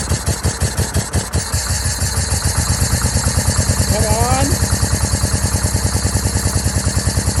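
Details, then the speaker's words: 2004 Yamaha V-Max, 4,400 km, unstarted for over 15 years: lumpy, uneven beat around three pulses a second with stumbling; misfire traced to one faulty ignition coil and two bad plug leads, mixed spark plug sets, before coil, leads and plugs replaced. "after the initial startup I checked the coils one was no good two of the spark plug leads were no good and I also changed over the spark plugs because there were two different sets in there"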